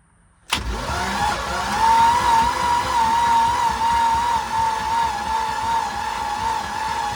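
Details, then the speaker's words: Old ski boat, sat for years, cranked on its old spark plugs before they were replaced: the starter spins with a weak, wavering whine for several seconds and the engine never catches; owner thinks the battery is shot. "I think that battery is shot."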